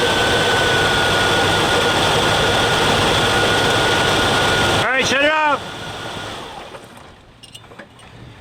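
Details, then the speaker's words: Carbureted Jeep CJ-7 no-start, cranked and run on fuel drawn from a can of gasoline, then shut off: turns over and runs with steady even beat; fuel pump works, fault suspected in tank or pickup tube. "all right so it's sucked all that down so obviously we got an issue with the fuel tank or the pickup tube or something in the back fuel pump's working great"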